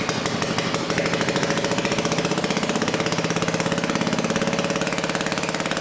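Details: Old BSA 220cc single-cylinder stationary engine running just after first start following repair, on a jury-rigged tank: quick, even popping beat at steady speed with no misses or stumbles; firing cleanly, normal running.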